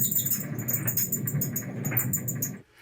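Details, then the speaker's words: Samsung dryer running with a shrill, rhythmic squeaking over a low drum rumble, noisy for several weeks; worn drum support rollers. "And yet, despite all of my efforts, our Samsung dryer here still sounds like this..."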